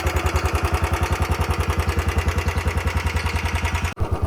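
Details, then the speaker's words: Royal Enfield Bullet 350 BS6, about 4 years old, after repair of a tik-tik/khat-khat engine noise and 50–60 km ridden since: clean, regular single-cylinder thump at idle with no ticking or knocking; the engine sounds healthy. "भाई देख रहे हो कोई भी अब extra cut cut cut cut की आवाज नहीं है जो इसकी मतलब प्रॉपर एक इंजन वाली आवाज थी वही आवाज अब इसमें आ रही है कोई भी एक्स्ट्रा नॉइस नहीं है नॉकिंग की कोई भी आवाज नहीं है"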